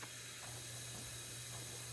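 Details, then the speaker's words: Small-block Chevy cylinder leak-down test, engine not running: constant airy hiss of escaping air, with more leakage on number 1 than the others' roughly 13%. Head gasket suspected broken between cylinders 1 and 3, not confirmed. "all right so we got a little bit more leakage on number one I'm thinking maybe there's a potential that the gasket is actually broken in between one and three so some of what is in one will go to three"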